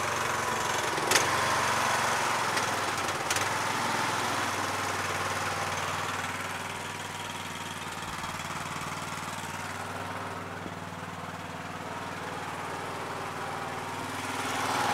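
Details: Yard Machines MTD lawn tractor, 20HP Briggs single-cylinder OHV, after magneto bypass and oil/filter change, idling while checked for leaks: steady, even idle throughout, no knocks or misses; healthy.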